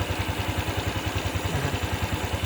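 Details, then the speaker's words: Honda Wave 110i with slipping clutch, before repair: quick even thumping about nine beats a second with rattly clatter at idle; engine getting loose and noisy, louder when hot; cause not yet checked. "จะเก็บติดแล้วเป็นเครื่องก็จะประมาณนี้นะครับถามว่าใช้ได้ไหมมันก็ยังพอจะได้ครับแต่ว่าเสียงเครื่องนี่โตโต้เปล่าเริ่มดังแล้ว"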